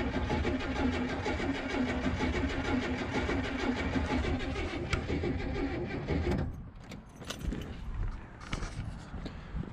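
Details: Oldsmobile Cutlass Supreme G-body after fuel pump replacement: long steady cranking with a regular starter chug and no firing at all. It cranks but won't start because there is no fuel; the new pump wasn't primed.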